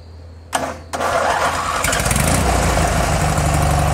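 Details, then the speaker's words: SCAG hydro 52-inch zero-turn mower bought at auction, after a starter bolt was fitted; quick crank, then it catches and settles into a steady even run with no misses or knocks, normal start. "Was off. So it runs so far."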